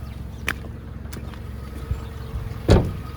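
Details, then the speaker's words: 2005 Toyota Camry PZEV, 20,682 miles, after exhaust replacement, idling a few minutes: smooth steady low idle, no exhaust puffing or ticking, a few stray clicks; sounds much better, though a lean code appeared. "oh that sounds so much better all right guys so it's been running for a few minutes here"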